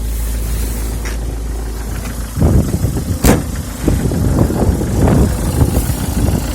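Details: Peugeot 306 HDi diesel idling steadily, then uneven groaning, clunky bursts and a sharp click from the power steering; noisy power steering.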